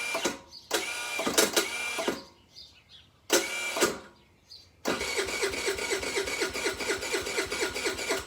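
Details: 2012–2013 TaoTao 50cc scooter, given away, on battery: short bursts of starter whirring, then a longer steady crank that never fires; it cranks but won't start.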